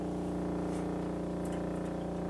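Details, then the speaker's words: 1936 Philco 116x tube radio (built July 1935), first power-up after restoration with voltage partly raised: a loud, steady, buzzy low mains hum, unchanged in pitch, that tone affects but volume, dial and band don't. "oh I hear something it's not a good sound that's not good at all"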